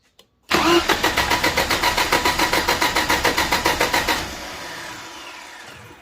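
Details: Mercedes 102 engine after new Denso spark plugs, distributor cap and rotor plus anti-backfire check valve: even starter cranking about three and a half beats per second, then catches and settles into a quiet run; healthy start.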